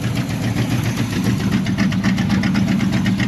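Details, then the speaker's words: 1984 Chevrolet Monte Carlo SS dirt-track race car, small-block V8, after sitting abandoned: lumpy, uneven loping idle about four pulses a second, suspected running on five or six cylinders; rough idle, misfire. "that's terrible well you think it's running on what five or six maybe"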